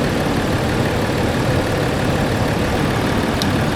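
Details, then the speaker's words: Land Rover Discovery 4 with freshly rebuilt 3.0L SDV6 diesel: steady, even, quiet idle hum, no knocks, ticks or surging; smooth healthy idle after rebuild. "boy that engine is running quiet"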